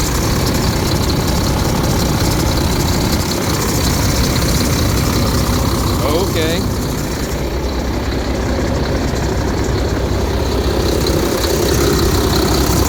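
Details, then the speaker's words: Freightliner Cascadia diesel after repairs, mileage given as 886, with no check engine or lightning-bolt light. A deep, steady rumble with an even beat and no knocks or surges; a normal idle, and the truck runs and drives fine. "Drove down the road. It It runs good. It drives good. It handles good. Um doesn't do anything weird."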